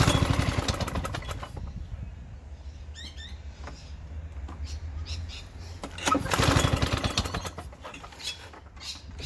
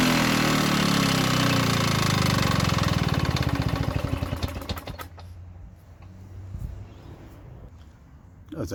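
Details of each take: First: Victa Sunbeam lawn mower from about the mid-1970s with carburetor borrowed from another mower: catches, fades and sputters, then surges back, running unevenly; took a while to start, owner thinks a carburetor clean will fix it. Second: Victa Sunbeam mower from about the mid-1970s, running on a carburetor borrowed from another mower in place of its KBY carb: steady, even buzz for about three seconds, then winds down and stops. Motor sounds healthy but was slow to start.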